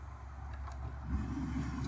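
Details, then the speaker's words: 2008 Chevrolet Trailblazer with engine and ignition off: steady low blower fan drone with air from the vents after the 40A fuse is refitted; the stuck fan had drained the battery; blower stuck on, resistor suspected. "you guys hear that car's not even running right so the car is off and we have air coming out through the vents"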